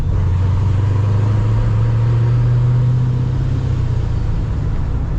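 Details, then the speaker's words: Cammed ProCharged fifth-gen Camaro after idle calibration correction (previously surged and died around town), out of gear: deep, even rumble at steady pitch without hunting or dying; stable, normal idle. "out of gear idling just fine it's not that hard just got to use the right parameters and actually calibrate it to do what it's supposed to do"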